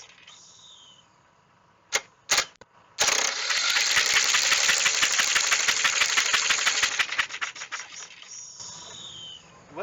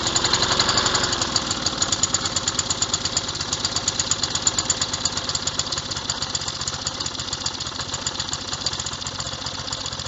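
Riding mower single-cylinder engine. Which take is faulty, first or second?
first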